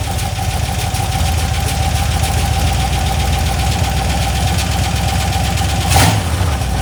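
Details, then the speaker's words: Cheap LS 4.8 LR4 V8, hot, on a run stand before teardown: hard regular internal knock over idle, louder on a final sharp rev and getting worse; earlier suspected lifter or piston, unconfirmed. "all right the noise is getting worse and I don't want to damage my heads that I want"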